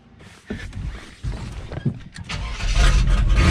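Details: Square-body Chevy Suburban V8 after vacuum ports on the carb were plugged and a known-good carburetor was fitted. It catches after a few cranks and pulls into strong, clean revs with no stumble. Owner suspects crud in the carb, and the fuel leak is gone; normal revving.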